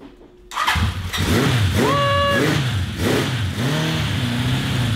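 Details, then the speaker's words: 1982 Honda CB750 four-cylinder after refitting plugs in firing order and turning the kill switch on: it catches after a short crank, blips, then settles to a smooth, even idle; the valve cover gasket is leaking. "it sounds pretty good"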